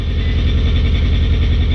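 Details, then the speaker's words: 1990 Nissan 240SX idling high with a lumpy, uneven exhaust rumble and sagging beat, possibly still dumping fuel; owner first suspected the IACV and timing: misfire bogging the engine, traced to faulty injector wires/plugs. "we might have lost the iacv and a spark bug would be as far forward 40 just small gets dumping fuel still you know how definitely sounds like it's bogging"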